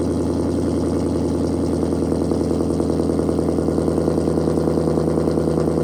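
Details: Challenger Shaker V8 at 45,280 miles, idling after a cold start before a radiator flush: deep, steady burble with an even pulse, no knocks, ticks or misses. Healthy engine.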